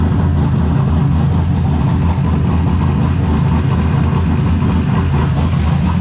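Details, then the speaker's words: Drift car's freshly assembled replacement engine (after the old motor failed), still cold, just pulled into the garage: deep, lumpy, uneven and shaky low idle that never settles smoothly. "you guys can hear what it sounds like with this crappy idle. It is still cold."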